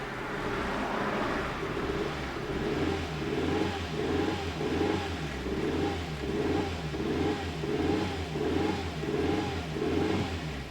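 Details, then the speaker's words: 1997 Nissan Almera/Pulsar N15 GA14DE with about 162k km, first start after about 9–10 years sitting and a fuel pump replacement. Revved, it lopes with a heavy uneven pulse, running on maybe 2–3 cylinders. Owner suspects the spark plugs; multi-cylinder misfire. "Oh yeah. It doesn't run on all the cylinders. Maybe like 2. Yeah, that's due to the spark plugs, obviously."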